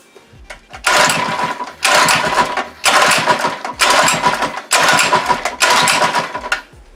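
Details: Monster Moto/Mega Moto 80cc mini bike unstarted for six months, choke on: six short pull-start bursts of fast rasping turnover, none catching; cranks but won't start.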